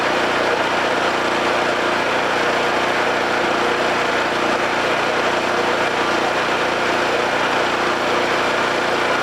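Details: Homelite 5000 watt generator, bought used with a corroded carburetor; after re-exciting the field with a battery charger, it holds a steady, even drone with no surging, misses or knocks, producing power.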